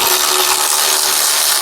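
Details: Cordless ratchet on an Allis Chalmers B water pump job, just switched to a charged battery after a half-flat one: high, fast whirring spin at steady full speed with a ratcheting rattle; running strongly, no bogging.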